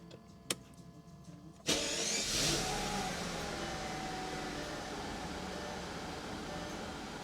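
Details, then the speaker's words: Mercedes S600 V12 starting after electrical oddities blamed on a dead or nearly dead battery: a short crank catches cleanly, flares, then settles to a smooth, steady, quiet idle. It is running good again. "we're going to blame it on the battery because she's running good now and we still have lights"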